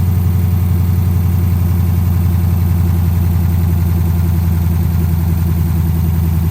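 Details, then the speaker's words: 2010 Dodge Charger idling just after its first start following replacement of damaged heads, before coolant is added: a deep, steady idle with an even, unbroken rumble and no knocks or misses, running smoothly. "I sent a message to the previous owner, letting him know that I did, in fact, get it running. I figured he would want to hear the first startup after me destroying a set of heads."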